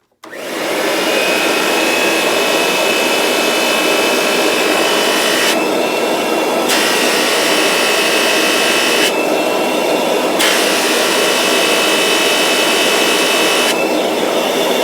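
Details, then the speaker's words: Kirby Avalir upright vacuum with mopper brush roll runs with a rough buzzing grind and faint whistle over the motor roar, slightly deeper than before; the brush roll tray vibrating is the apparent cause. "It still makes the noise, for sure. It seems a little deeper, but not as high pitched or something, but it still makes the noise. So it is basically this right here, this tray vibrating,"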